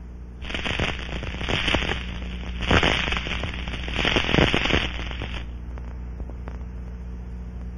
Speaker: it forms bubbles that will collapse creating ultrasound detectable with the scanning [Applause] [Music] module apply the liquid leak amplifier to the test area and listen for these distinctive sounds using the same gross defined scanning